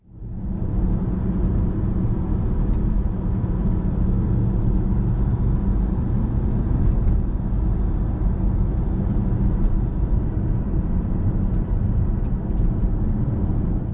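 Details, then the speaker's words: BMW E60 M5 driving after the sunroof wind deflector hinges were oiled to fix a knocking noise over bumps: only road and tire noise, no knocking from the sunroof; the fix made a difference. "all right guys so there we have it that seems to have made a difference"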